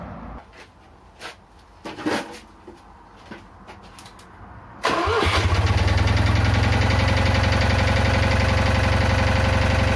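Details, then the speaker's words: Citroën Ami 8 flat-twin, hot, coil warm: handling noises, then it catches and idles with an uneven, stumbling beat that keeps dropping out; owner is certain a failed ignition condenser causes the misfire. "Bon, mais il a toujours ses trous, hein. J'ai trouvé la cause du condensateur. C'est sûr et certain que ça vient de lui."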